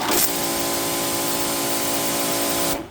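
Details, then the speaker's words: New Giraffe Tools Grandfalls Ultra Flow electric pressure washer, line air bled, on 15 amp circuit: instant steady motor whine under hard water hiss until shutoff; pressurizes fast, no breaker trip; healthy. "Wow. That's like instant on. Look at this. It's not tripping the breaker, and I've got it hooked up."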